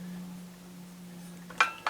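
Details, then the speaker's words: Garrard 86SB record deck from a 1975 Impulse ST201 music centre: quiet motor hum, then sharp clicks as the autochanger lifts, swings and lowers the arm; normal cycle. "you can hear it it's lifted the arm swings the arm over which would normally be a just as a start of the record and then it lowers"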